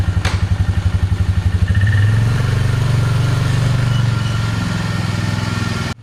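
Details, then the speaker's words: Polaris Magnum 325 single-cylinder ATV that was starving for fuel, running lean and backfiring, now with the correct air cleaner fitted, on a test ride. Thumps about four beats a second at idle, then pulls cleanly as revs rise with no stumbling or popping; running normally. "It doesn't try to run out of fuel anymore."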